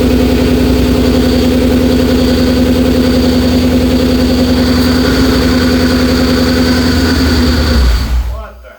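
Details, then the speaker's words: 2004 Mercury Marauder with a supercharged 03-04 SVT Cobra swap, second start: a steady hum over the fast, even engine run until shutdown, a power steering pump whine. The fluid was foamy and the system may need bleeding. "Power steering did not like that. Bleed this system or something. Little foamy."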